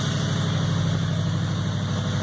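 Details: Ford F100 with a swapped 4.6 Crown Vic V8 running for the first time, fuel from a modified '56 tank: an even V8 burble at idle with no knocks or ticks; a healthy idle.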